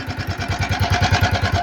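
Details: Italika FT150 motorcycle won't stay running: lumpy uneven idle about nine beats a second with a hollow knocking edge, struggling to keep running; engine was disassembled and the cylinder sleeve replaced.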